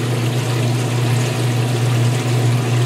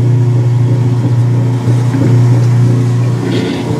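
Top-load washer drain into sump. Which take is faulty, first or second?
first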